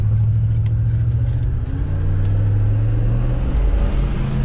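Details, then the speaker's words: LS V8 swapped turbo Nissan Patrol, after reseating a loose spark plug boot on a coil pack to fix a miss: deep, steady rumble pulling evenly with no stumble; running much better, still rich. "oh that's better"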